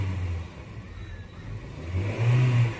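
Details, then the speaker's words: Honda City petrol engine with added CNG fitting, after replacing two faulty ignition coils and erasing the check engine light: idles evenly, revs cleanly and settles back with no stumble or miss, engine silent. "Race भी हो रहा है। Engine बिल्कुल silent है। मैंने दो पायल नया डाला है।"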